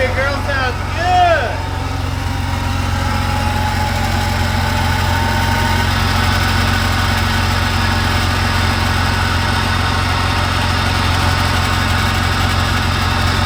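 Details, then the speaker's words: Jeep Cherokee, first run after cylinder head replacement for a popped head gasket and cracked head, before adding coolant: steady, even, smooth low idle with no knocks, misses or ticking; normal idle. "smooth sounds good all right I say we put some Cooling in it and burp it now that's a win first try"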